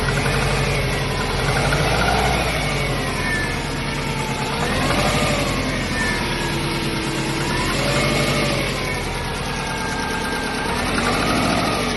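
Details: Subaru EJ205 boxer petrol engine near idle with a loud, persistent lower-end knocking; owner suspects piston slap or damaged crankshaft bearings, not confirmed.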